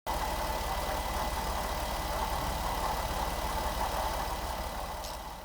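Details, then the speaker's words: 2011 Jeep Wrangler JKU 3.8L V6 at idle: steady thin whine with faint chirp from the front of the engine, suspected bad accessory bearing, exact one unknown; alternator being replaced to find it. "This is video 3 of hopefully only 3 of trying to chase down bad bearings on the front of this engine."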